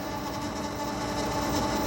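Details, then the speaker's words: Electric Yacht 10.0 electric motor at about 1000 rpm, nearly silent with the cover on, heard with it off. Even, steady hum with a constant whir, no grinding or rattles: normal running. "And when I put this on, you don't hear anything, hardly. And then when I take this off, there's the motor."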